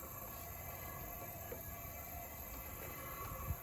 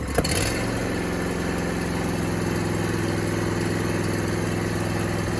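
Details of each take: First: John Deere D125 mower engine stopped, cylinder pressurized with about 10-15 psi and turned by hand: soft, even hiss of air escaping out the intake; intake valve not sealing on that side. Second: John Deere D125 mower twin after a no-start fix, where a bent push rod was the main culprit: starts and settles into a steady, even idle with a firm low beat, no knocks or misses; a little exhaust smoke is noted.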